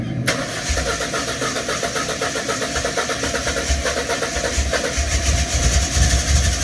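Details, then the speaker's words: Ford Escort XR3i rough runner, cold start with no foot on the accelerator after a new fuel filter, spark plugs and HT leads: starter catches almost at once, then a slightly lumpy but steady cold idle that keeps running; previously died straight away; normal cold start. "Obviously that was literally cold start, me not even having my foot on the accelerator."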